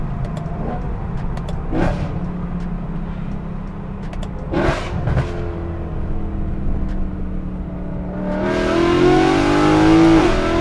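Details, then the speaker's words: BMW E92/E93 M3 V8 accelerating with exhaust valves open after cracked plenum glass (vacuum leak) was replaced with thinner Lexan: deep steady note climbing smoothly, strong clean intake roar, no hiss; plenum fixed, normal induction. "so I'm glad that the plenum is fixed now it sounds great it looks great overall very happy with it"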